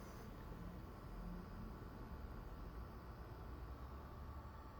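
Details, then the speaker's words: Zotac RTX 4090 (vertically mounted, coil side away from camera) under load in Cyberpunk: steady low fan rush with only a faint, barely audible whine; coil whine negligible, fans louder. "I can hear these fans turning a lot more than what I can with the call line it's hardly anything"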